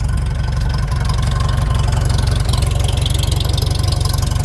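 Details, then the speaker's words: Old machine started on a warm winter day after sitting in the cold, warmed up, 50 lbs oil pressure, no knocks or leaks; low even idle beat about four pulses a second, steady and unbroken: normal warm idle. "Nothing's knocking. Nothing's leaking. We're making 50 lbs of oil pressure."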